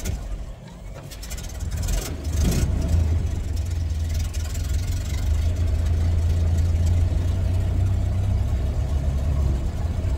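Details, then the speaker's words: 1931 Ford Model A Roadster fired up before a test drive: brief crank, then the engine settles into a smooth, low, even idle with a steady beat; runs nice, normal start and idle. "oh boy this thing runs nice"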